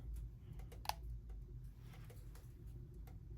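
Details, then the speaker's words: Antique Premier System electric copper kettle (220–230 V, about 4.4 A, roughly 1 kW) heating water. Scattered faint ticks and one sharp tick are the normal metal creaking of the kettle warming up. "I can hear it creaking."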